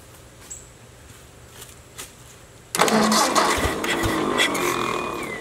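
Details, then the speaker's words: Ford Jubilee tractor after carburetor swap, previously stalling under load: after a quiet lead-in the engine fires abruptly and holds a fairly steady idle without stalling. Finding: normal start and idle. "uh sounds pretty good she was stalling under a load before"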